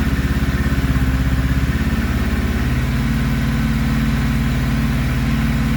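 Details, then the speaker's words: 1991 Kawasaki ZXR750 twin-turbo build, first start with aftermarket ECU: lumpy, ragged loping idle; misfire, plugs sooty black and running rich, ignition trigger timing suspected wrong. "Well, it's a runner. That's good. Good to hear it. Now, we'll try and make the thing run a bit better."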